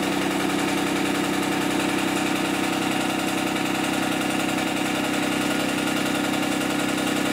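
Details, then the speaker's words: John Deere 400 garden tractor diesel swap, first start: steady diesel clatter with an even knock about 160 a minute riding over it; not the engine but the shortened homemade driveshaft knocking/rubbing. "also it was knocking pretty bad it wasn't the motor it was the drive shaft down here that i made since i shortened it"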